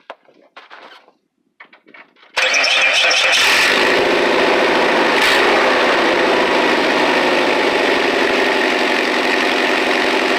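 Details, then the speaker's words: Old car at idle before repair: loud, raspy exhaust with a sharp, hissy edge from a leak in the tailpipe, which was then patched with heat-sealing tape and a clamp. "that's the sound it makes one thing to have some glass packs or something another thing to just have a nasty sound and mufflers"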